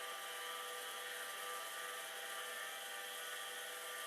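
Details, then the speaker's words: Nearly 40-year-old hard drive, probably unpowered for 30+ years, during a test of two Amiga 2000s: it spins up with a thin, steady high whine and coarse gritty edge, sounding unhappy; a head crash is feared but not confirmed. "Now, does this sound really happy? No, not really. But it is spinning. I don't know what else it might be doing. It doesn't sound particularly pleased."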